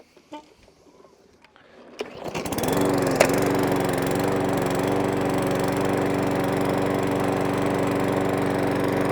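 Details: Serviced Briggs & Stratton 500E lawn mower, stone cold, started on three primer pumps, fires after a couple of seconds and settles into a steady, even drone; earlier hunting and surging gone, old air filter still fitted.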